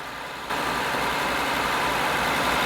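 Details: 2000 Honda Accord 3.0 L with code P0505, warm engine: holds a fast, steady idle around 1500 rpm that never drops back down; points to a faulty idle air control valve.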